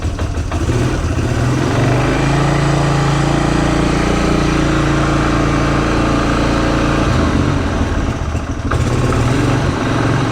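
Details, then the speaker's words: Polaris Hawkeye 4X4 single-cylinder started cold after sitting 10 months, idling on choke and held just off idle: loose, uneven little knocking from the CVT drive clutch. "I don't know if you can hear it, that little knocking in there. That is the sound of the clutch."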